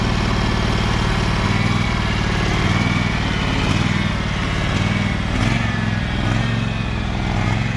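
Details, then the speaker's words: Husqvarna 2346XLS hydrostatic lawn tractor, quiet engine, driven forward and back after rust-bound brake and gas pedals were freed with lubricant: steady, even drone with no stumbling or stalling under load; normal running. "this is a pretty quiet engine anyway but i'm gonna start it up and see if it works"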